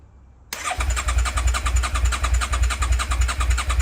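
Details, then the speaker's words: Rebuilt Suzuki SV650 with stock exhaust, after a loose battery connection had stopped it starting: fires instantly, steady even twin beat about 3.5 pulses per second; quieter than owner's previous exhaust, runs cleanly. "Bike start ஆகிவிட்டது. எனக்கு இந்த exhaust அவ்வளவாகப் பிடிக்கவில்லை, ஏனென்றால் என்னுடைய முந்தையது மிகவும் சத்தமாக இருந்தது."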